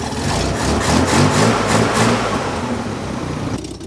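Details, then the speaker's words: Chevy Corvair air-cooled flat-six with replacement used carburetors, started cold, chokes now open, fuel leaks tightened, mixture unadjusted; uneven surging revs with a lumpy pulse about four per second; rough running that smooths after minutes of driving, cause unconfirmed. "I really need to mess with the air fuel mixture too I had a couple fuel leeks that I tightened up the accelerator pump seem to work in the carburetors"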